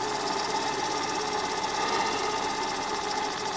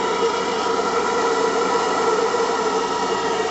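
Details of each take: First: AL5 live-steam model engine after about one hour break-in, steam valve and burner turned down to run slowly: fast even chuffing over steady hiss; steam leaking at piston rod glands, water puddle forming, leaks not yet fixed. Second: AL5 live-steam model engine after one hour break-in, about 1 bar, running both directions: steady even steam hiss with faint hum, turning smoothly; leaks under cylinders still unresolved, knocks slightly at times; normal running.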